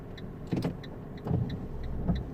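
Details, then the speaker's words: 2008 Fiat 500 with Dualogic semi-automatic gearbox, recently fitted with a new clutch, stationary after an intersection: repeated whirring actuator motor bursts about every second as the gearbox strains but fails to engage gear; the car's complaint is jumping into neutral when stopping. "come on yeah I can feel the gearbox trying hold on it's first gear again"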